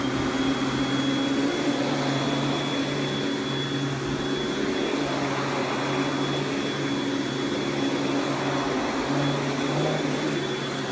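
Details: Panasonic Jet-Flo MC-6225 upright vacuum: steady, airy motor roar with a thin high whistle that holds even throughout, running on high speed; healthy.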